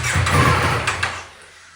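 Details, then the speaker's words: Rebuilt wrecked 2024 Ducati Panigale V4, started with throttle held halfway open: engine coughs into life for under a second with a couple of ragged bangs, then dies; rough start and stall. "so if I go to start it it'll start up but then it dies if I give it gas but if I hold the throttle halfway open and hit the starter button check this"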